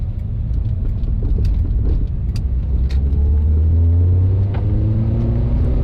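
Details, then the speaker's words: Honda Prelude after valve adjustment for cylinder 2 misfire, test drive hitting VTEC: engine pulls cleanly, pitch climbing smoothly with no stumble or miss, no check engine light after a couple of miles; normal acceleration. "i think the prelude is good right now we've driven it a couple of miles we hit vtec no check engine light came on"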